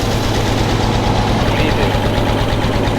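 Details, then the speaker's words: Engine with coolant all over it, one cylinder not firing: uneven, lumpy idle with an irregular thump about every half second as it stumbles on one dead cylinder. "I'll grab it, see if it'll clean it out. Oh, that's a dead hole."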